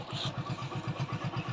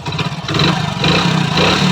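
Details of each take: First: Hero Splendor Pro single-cylinder after engine repair to cure a humming engine noise: even, steady thump at about seven beats a second with no ticking or rattle; normal idle. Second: Hero Splendor Pro single-cylinder before repair, idling and blipping: dry mechanical clatter over the exhaust, humming noise when moving; timing chain found tight but from another bike, cause not confirmed.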